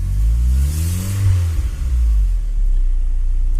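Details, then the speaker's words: Honda Prelude H22 turbo after fitting 1000cc injectors and Hondata with a wideband, idle fuel being logged. Steady, smooth idle with no misses, air-fuel ratio about 14.4–14.5. Normal idle. "but as it is right now the car is idling very good and we are at 14 five proximately 14 5 14 4 so this is perfect for for idle so it's not burning too much fuel on the idle"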